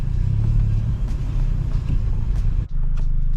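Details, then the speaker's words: Mk5 Golf GTI TFSI on a test drive after its engine and gearbox were swapped in from another car. A smooth, even engine drone with steady road rumble and no misfire or knock; brake grinding from worn pads is audible in the background. "but other than that no lights on the dash no overheating temperatur where it should be no misfires everything is as it should be"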